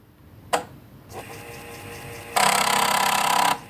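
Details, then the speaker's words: 5.25-inch floppy disk drive driven from breadboard controller, restore command: brief tick, then about a second of fast, even stepping buzz as the head returns to track zero; normal seek. "so that was a the restore commands so yeah it restores the heads back to truck zero"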